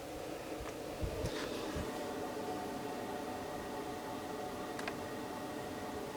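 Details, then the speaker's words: Small diesel air heater newly installed in a studio, exhaust hanging freely: faint even fan whoosh with low steady hum and a couple of light ticks, pretty quiet, hot air blowing out; normal running. "pretty quiet pretty quiet and oh yeah we've got hot air blowing out of there for sure I don't know if you can hear that or not but nothing uh nothing terrible"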